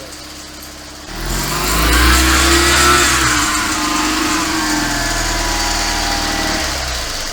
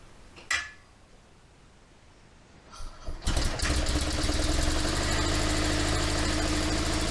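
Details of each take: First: 1972 Invacar Model 70 engine revving with a loose slapping belt rattle as the belts slop around; the 27 mm main crankshaft pulley bolt was found loose, and tightening it made a clear difference. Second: 1972 Invacar Model 70 engine after the loose 27 mm main pulley bolt was tightened: a click, a short crank, then it catches and settles into a steady, even idle at roughly four beats a second; normal idle.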